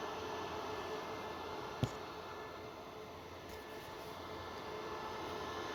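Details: Dell PowerEdge R730 with one 6-core Xeon at idle, heard from the rear then the front: a steady, even fan rush with a faint low hum and no surging; fans speed up only during POST or firmware work.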